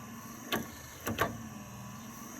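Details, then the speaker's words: Triumph TR7 pop-up headlight, after fixing earth and connection faults, touching blue and slate wire: sharp relay clicks about half a second apart over faint motor whir as lamp lifts; normal pop-up headlight operation. "Okay, if you listen carefully, when I touch here to the blue and black, you see the light go on, and you also hear the relay going."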